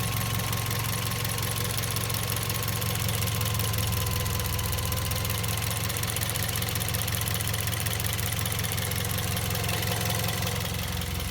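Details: Toyota Vios Gen 2 at steady idle with a loud, quick, fairly regular chirp of about three a second coming from the engine bay. The cause is not pinned down.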